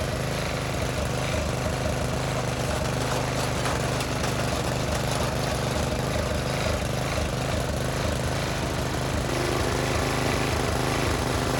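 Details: Briggs and Stratton tiller engine with new China-made carburetor, spark plug, air filter and fuel line, idle screw adjusted: steady low thumping single-cylinder chug at even idle, no surging or misfires; running fine.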